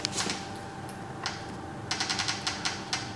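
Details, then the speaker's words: Micro droplet system pressure pump: sharp dry clicks in irregular bursts, several per second, over a faint steady hum while priming lines. Normal sound of the pump setting reservoir pressure. "that noise that clicking noise is the um the pump basically setting the pressure in the reservoirs"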